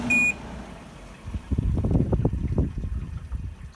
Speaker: so what i want you to hear is the sound of the water that's still on the fan the water that that the fan blades bring up to splash onto the condenser coils to cool those down